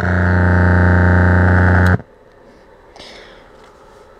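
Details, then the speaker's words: LM1875 amplifier test circuit at power-up, with a hand brought near the music player: loud, harsh, steady buzz with heavy low hum that cuts off. The amplifier is oscillating. "Bring my hand near the music player. It's oscillating."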